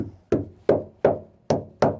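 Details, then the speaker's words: 40 ft Concord boat, during engine mount replacement, tapping the wood further forward: seven crisp, firm knocks in about two seconds with no hollow thud; the wood is getting more solid. "It's getting more and more solid. You can hear that? You hear that, guys?"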